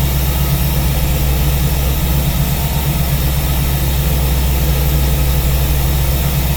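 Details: V8 with newly installed Ace's Killshot EFI and Blackjack distributor, timing locked at 15° for setting, at idle: smooth steady idle with even low lope, no knocks, ticks or misses; normal idle.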